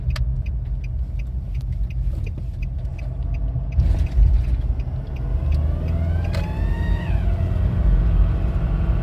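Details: 2007 Nissan Pathfinder 2.5 dCi diesel: a brief, thin squeak rises in pitch over the diesel rumble as the throttle opens, then fades. Two workshops found no damaged vacuum pipes; the cause is unknown.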